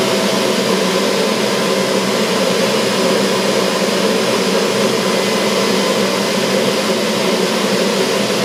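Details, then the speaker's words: Old boiler-room cascade burner running after a Siemens RLU222 controller replaced a Polygyr RWF21.20, set to stop at 72 °C flow: even, unbroken roar with no surging, pulsing or rattle; burner running normally. "Donc là le voleur on l'entend, il est en train de se mettre en marche. Et donc là il va s'arrêter à 72 degrés de tête."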